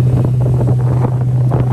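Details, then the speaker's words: 2003 Malibu Sunsetter ski boat, about 20 years old, no thermostat fitted, underway on bumpy water; steady low drone with wind buffeting, no misses, running really good. "be afraid of the 20 year old boat it still does the job sounds really good I think it's running just perfect"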